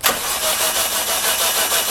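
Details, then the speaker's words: Freshly refreshed 420A engine during a swap, cranked via starter solenoid with no plugs or wires, in neutral, to prime oil after draining: fast, even starter churn at about four beats a second with no firing; turns freely. "I didn't put the plugs in yet or the wires just to help it crank over so make sure that the car is in neutral too and don't have the power on"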